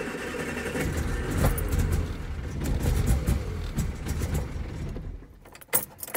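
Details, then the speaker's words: Austin Allegro after stalling on a drive, spare coil just fitted: engine labours unevenly with throttle floored, surging and fading, then dies and won't restart; sticking carburettor float needle suspected, cause undetermined. "right i'm gonna crank it over now and you'll see that in order to even try and get it ticking over i've got my foot hard to the floor"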